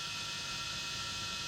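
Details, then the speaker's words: Guitar amp with a Gibson Baldwin educational Les Paul copy (believed from around 2008) plugged in, not played: steady bright hiss with faint low buzz; pickups, switches and tone controls tested working, others report these crackle, hiss and buzz. "crackling and that's what one of the people on the internet was saying they had one of these and they cracked crackled and hissed and buzzed"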